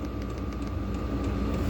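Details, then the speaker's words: 5/8 kW diesel heater switched to full power, powered via a 110 V to 12 V converter, blowing hot. Steady low rumble with even blower hum, no surging or misfire; heater running smoothly and normally. "So there we go. We are switched to full power now. We're going to go ahead and see if this inverter will maintain voltage with this thing running on full power."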